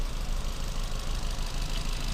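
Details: Ford Fiesta, about 1.25 petrol, lumpy, uneven idle with a regular stumble; cylinder 1 misfire detected, and compression testing found cylinder 1 at only about 20 psi, a dead cylinder.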